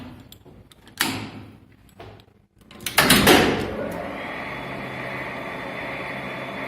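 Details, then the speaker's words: Elevator after knocking guide liners were replaced and fuses were replaced with calibrated 3 A wire; a few clunks at start, then a smooth, steady hum with no knocking, running normally. "Ну, поехали. Ну всё, тут я всё запаял, всё красиво, предохранители поставил, всё ездит, всё работает."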